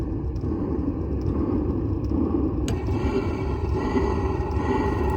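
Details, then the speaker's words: Velit 4000P gasoline heater installed in a 2023 Ford Transit camper van, recorded a few feet away with no muffler, at full output: low, steady rumbling roar with no misses or surging, like an RV propane furnace; healthy combustion. "all right so there it is it's fully up and running now as high as it can go so again just few feet away kind of sounds like what an RV furnace would sound like running like a normal propane one"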